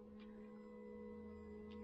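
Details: Polaris Ranger 570 UTV at key-on before starting: a steady, even electric buzz holds at one pitch for about five seconds then stops; normal fuel pump priming hum.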